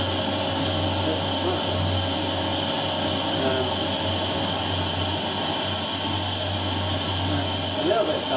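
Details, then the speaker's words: Household vacuum cleaner that previously worked: steady high motor whine with hollow airy roar, sounds strained and wrong, almost no suction; cause unknown. "we're going to make that sound of it being hot but it did not sound right it sounded like something that has gone wrong somewhere"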